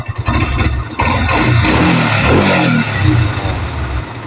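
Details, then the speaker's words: NS150 after an engine overhaul, started and then kick-started: it catches and settles into a steady, even putter with clean revs and no knocks or rattles. Running normally. "Ganda ng andar, oh. Kick natin, kick. Yan."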